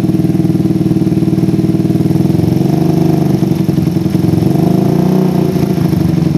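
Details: PE24 carburetor with the stock needle jet, J6ZB needle, size 35 pilot jet and the air screw almost fully out. The idle rises and sags with a soft, wet beat; low rpm runs too rich, blamed on an oversized, too-short needle jet.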